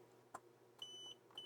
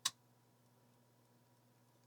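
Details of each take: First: Side power button on a non-booting TheC64 Mini, tested with a multimeter on continuity beep. A click, then two clean high beeps, each as the button closes: continuity beep, switch working. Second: Macintosh LC power supply plugged into mains with no load: sharp isolated clicks about two seconds apart over faint hum, cycling on and off; it runs the computer normally once loaded.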